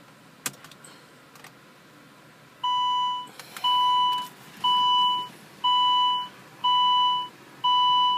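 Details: Car won't start after an attempted software update to the ECU (T8): steady two-tone warning beeps about once a second, six in a row, no cranking or engine sound.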